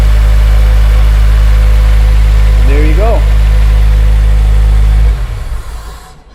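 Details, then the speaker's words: Honda Civic EP3 Type R engine idling with the drive belt removed: smooth, even low idle with no tick or squeal, so the noise comes from the belt-driven parts. Normal idle without accessory noise. "I'm going to start this engine so you can hear the difference in the noise with the belt remove"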